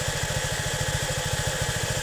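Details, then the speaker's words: Suzuki V-Strom 250SX idling: a loud, even airy rush from the radiator cooling fan mounted behind the radiator, which is normal fan noise. "Okey, itu adalah bunyi kipaslah."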